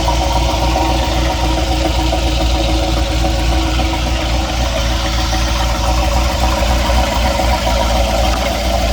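Loud steady idle with an uneven knock, roughly three or four a second, riding on the engine note; the cause isn't pinned down.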